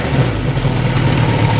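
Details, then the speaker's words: Suzuki GS1000 motorcycle during carburettor tune and sync, idle around 1,000 rpm settling down: even, steady low thrum with regular pulses, no hunting or misses. Normal, balanced idle. "Sounds a bit better. So that's not too bad for where we want to start setting."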